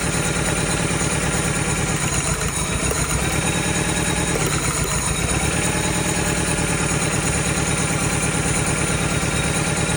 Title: Quick and Dirty misfire identification #automobile #problemfix #mechanic #mechanictips